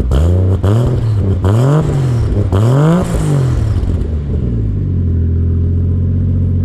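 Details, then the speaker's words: Toyota Mark II 1JZ with custom exhaust and intake, no filter; three quick clean blips then steady even idle, no ticks or rattles; healthy engine and exhaust. "But yeah, as you can hear, the dose is kind of really quiet, like you can't hear shit."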